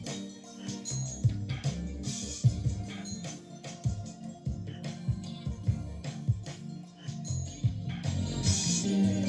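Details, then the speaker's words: Mitsubishi DA-R20 early-80s receiver after STK-1060 output module replacement, phono listening test: clean music, steady bass, clear highs, no hum, crackle or dropouts; working across the board. "I would call that working across the board I am pretty happy with how that came out"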